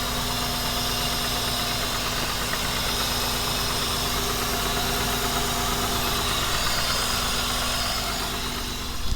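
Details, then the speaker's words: 2004 Honda Odyssey after a rabbit chewed under-hood parts, check engine light on, previously stalling when put in gear. Warming up outside the shop at an even, settled idle with a steady hiss and no misses or knocks; running normally. "I'm gonna let this warm up real quick. Sounds good though. Yeah, it looks good. It's running good."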